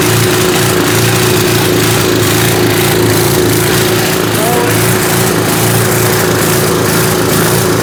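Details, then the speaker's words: 1970s Hahn Eclipse tiller (BHT-120), 3.5 hp flathead Briggs & Stratton, unrun for years, on fresh gas after carb cleaning while the mixture is dialled in: steady but slightly uneven, hunting beat; unsteady running from misadjusted carb mixture. "We're getting close. Just got to dial this in a little bit more. Nice. All right, so it just seemed like we needed the absolute perfect air-fuel mixture, which is going to be weird because as the temperature fluctuates, that's also going to need to be adjusted."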